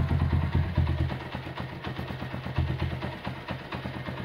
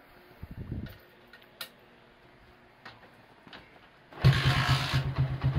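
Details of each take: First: 1977 Honda CB100 K3 after engine refresh, first start at low idle: head sounds smooth but uneven clatter from the middle of the engine, about two knocks a second; suspected crankshaft or clutch. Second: 1977 Honda CB100 K3 after engine rebuild, exhaust bracket replaced with thicker steel GL part: fires first try and settles into a low, even thumping idle; idle can now go low, cylinder head sounds smooth, normal start and idle.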